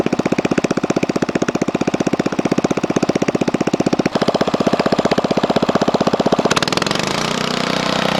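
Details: DR RapidFire PRO-XL log splitter, just back from the shop, engine at idle: sharp loud evenly spaced exhaust cracks with a raw unmuffled bark; the muffler failed and broke off within 30 minutes of splitting dried cottonwood.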